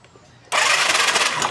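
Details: Skydrive 125 motorcycle that suddenly died: electric starter spins the engine with a fast hissing whir but it never fires; spark test shows no spark at the spark plug cap.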